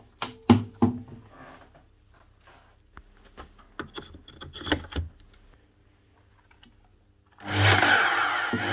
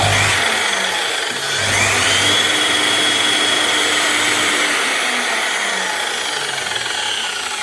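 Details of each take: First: Makita LS1019 260mm miter saw after fitting a new motor with the original brushes reused: after handling clicks, motor spins up to a steady, even whirring hiss with no rattle or labouring; runs smoothly, slight sparking while brushes bed in. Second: Makita LS1019 miter saw motor, 2020: high-pitched whine rising then running down with rapid rough clicking; heavy sparking and a raised commutator segment knocking on the brush as it slows; armature needs replacement.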